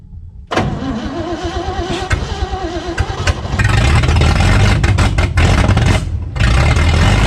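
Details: 1965 Chevy C-10 pickup, first run after sitting about 25 years: cranks a few beats, fires and settles into a deep, steady idle with a couple of blips. The old inline six runs fine.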